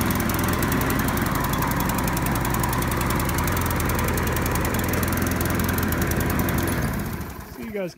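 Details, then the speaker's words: Curbside-found Craftsman mower, single cylinder, fired after reattaching the spark plug wire and adding fuel: an uneven, hunting idle that dies down. Rough unstable idle; the owner suspects it needs a carburetor cleaning and maybe a spark plug. "probably hear a running kind of funny so it definitely needs at least a carburetor cleaning and maybe the sparkplug Ragab"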